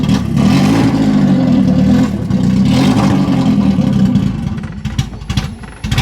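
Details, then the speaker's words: 1991 BMW 318i E30 long out of use; lumpy, uneven running that surges, stumbles and sags toward stalling; ran more stable with the MAF sensor unplugged, so MAF suspected bad or dirty. "That sounds absolutely terrible. Okay, so I actually unplugged the MAF sensor and it's actually running a lot more stable and better."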